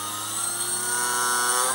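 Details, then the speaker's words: Electric motor of a Dumas Hurricane RC conversion, bench-run after fixing an earlier problem, at half to three-quarter throttle; clean steady whine at constant pitch, no cutting out, much better than before. "so I'm halfway proper behaving much better than before 60 maybe three quarters the SE really very powerful"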